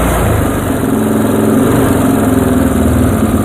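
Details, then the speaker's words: Yamaha Moto 4 single-cylinder during restoration, idle while turning the carb mixture screw in half turns: chugging idle with a few stumbles and hiccups in the beat. Lean mixture causing misfire. "Oh, we got some hiccups there. Let's take a listen. Oh boy, big miss."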